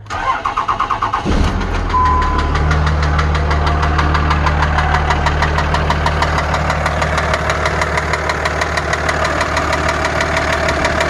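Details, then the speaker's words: Early 2003 Dodge Ram 2500 5.9 Cummins diesel (250 hp), after overheating and water pump replacement, cranks and settles into idle with a sharp steady knock over the diesel clatter; owner suspects an injector, unconfirmed. "I think it might be the bottom in might be the injector find out"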